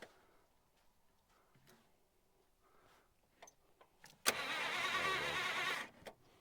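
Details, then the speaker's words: 1951 Buick Super straight-eight, sitting about 25 years: quiet clicks then one short burst of starter cranking that cuts off abruptly; bare loose starter wiring making poor, intermittent contact. "yeah we just do not have good connection but now it's it's kind of working"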